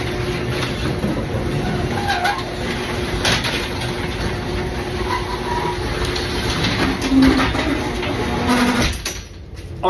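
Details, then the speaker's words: Garage door creeping open under the opener with old metal rollers, before replacement with sealed-bearing nylon rollers; steady grinding rattle, then stops near the end; noisy rollers. "listen to it as it's kind of going up in this kind of creeping and sounds terrible"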